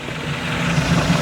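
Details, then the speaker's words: Abandoned $750 boat on its first day on the water after fuel line, remote tank, wiring and belt pulley work, just after a run up to 44 in rough water: steady low engine drone over water and wind, temp good, shifts in and out of gear nicely, no vibrations or knocking. "Sounds good, temp's good. Everything's working. That's a wonderful thing. She goes in and out of gear nice. No weird vibrations."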